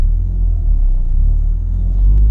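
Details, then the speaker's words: Ford Focus ST with a big turbo, about 400 wheel horsepower, on three solid motor mounts, pulling away: a deep, heavy low rumble shakes through the cabin. Mount vibration, worst in stop-and-go traffic around 1,500 rpm. "I don't know if you guys uh you know hear it the vibration from the three uh solid motor mounts that's one thing"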